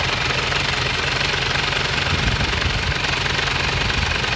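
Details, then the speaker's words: Isuzu Panther diesel with badly worn, loose timing gear and severe blow-by: harsh, rattling idle with uneven clatter about two knocks a second, from the worn, loose timing idler gear. "kita iming-iming gigi timing nya itu kocak sekali sehingga suaranya kasar sekali charger gitu terus ngobos motornya juga parah"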